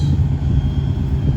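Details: 2001 Subaru Impreza RS, first run after new engine installed to cure rod knock: steady, even low rumble at idle with no knocking or ticking; engine sounds healthy.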